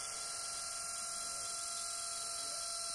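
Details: Cooling fan whine from a six-day-old Lenovo B570 laptop, high thin steady whirring buzz with a faint wavering edge, far louder than it should be.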